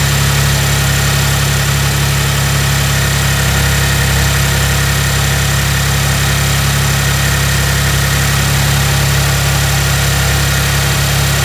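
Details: Maserati Ghibli SQ4 at 70K miles, first start after serpentine belt replacement, filmed in a closed garage. A deep, even idle hum holds steady with no ticks, squeals or stumbles, so the engine is idling cleanly and the new belts run fine.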